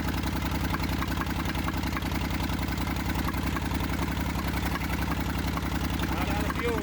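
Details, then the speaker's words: Massey Ferguson 35 diesel tractor, seized after 20+ years in the woods and freed, starter failed and removed, tow-started behind a truck in third gear high with fuel tank pressurized. It fired after about 300 yards. Even, unbroken diesel chug at steady idle, running on its own: normal. "Starter gave out on me. Pulled it off. It took it about, I don't know, 300 yards to build up enough compression and heat. And it finally started popping off."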